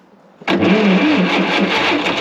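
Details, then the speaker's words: Ditch Witch R40 trencher with Wisconsin V4 engine, just converted from points to Hot Spark electronic ignition; on starting a sharp bang as it tries to catch, then rough uneven running: misfire from incorrect ignition timing, distributor being moved to correct it. "I know that timing's off I'm gonna move it"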